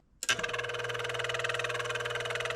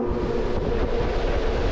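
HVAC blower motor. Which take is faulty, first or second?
first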